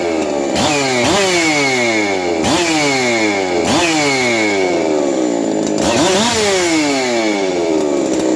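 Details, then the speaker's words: Husqvarna 372XP chainsaw bench run, rough-tuned, with chamber work: revs sweep up and down with a rough metallic rattle from the worn needle bearing of the aftermarket clutch drum; replacement drum planned. "he you can hear how noisy that uh clutch drum is um chain of stuff you know chaines clutch drum just didn't hold up"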